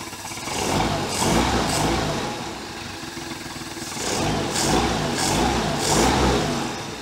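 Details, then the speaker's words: 1973 Larson boat, Mercruiser 120hp 2.5L engine, warm and running satisfactorily with compression 148–150 psi: several clean throttle blips rise and fall crisply, no misses or knocks, carb butterfly working properly; normal revving. "down everything's doing exactly what it should be doing now that we've got this thing running very satisfactory"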